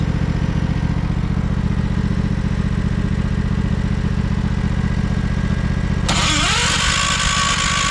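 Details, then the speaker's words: 1968 John Deere 140 garden tractor on its first start attempt after new parts and mouse-nest removal, on full choke: steady ~4/s starter chugging that briefly caught and idled, then wouldn't keep running; owner suspects it's flooded. "Well, it kind of started. It did start. That was That was pretty cool. It idled for a little bit there. She wouldn't give me the rest."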